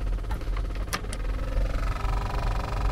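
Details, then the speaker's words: 2016/2017 Renault Master, ignition on, AC fan turned up: steady ticking through the vents that quickens as fan speed rises over a rising fan rush; probably debris such as a leaf stuck in the blower fan under the dash. "all right so if you have a weird noise coming through the air vents on the Renault Master when you turn the air conditioner on and I have the ignition on at the moment I'm just going to turn the AC up and hopefully you can hear that ticking noise"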